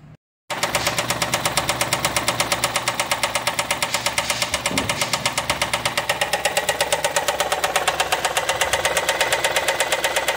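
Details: Ford Escape EcoBoost at idle: hard, regular knock about 167 per minute deep in the bottom end, cylinder 4 rod knock, lower-end rod bearing completely gone.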